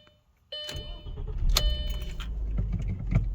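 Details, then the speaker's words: 2000 Audi S4 B5 (twin turbo) after auxiliary water pump replacement: engine catches at once and settles into a smooth, steady idle with no misses or knocks; normal start and idle. "Perfect. It runs so good you could balance a quarter on that engine."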